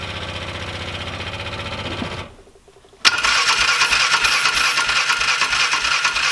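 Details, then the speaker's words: 2005 Polaris Ranger 500 UTV, bought non-running, cranks evenly with starting fluid but never catches; the owner suspects a mechanical or electrical fault rather than fuel. "all right so that didn't work would you know if it wasn't getting fuel it would have ran off that it would have sucked it in so either we have a mechanical problem or an electrical problem"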